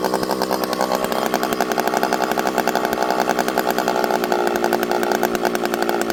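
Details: Rebuilt ported 85cc Stihl 064 with new piston, clutch, big transfers and pipe, fitted with a new carb, high jet about 1 turn, leaned hard into slightly frozen American elm: crisp high scream holds pitch without bogging; runs clean and strong.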